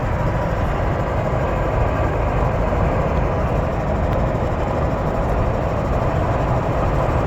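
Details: 2007 Jeep Wrangler JK: steady wind-like, steam-like rushing hiss from the central dashboard while driving above 60, holding even with speed over road roar, like air leaking around the dash.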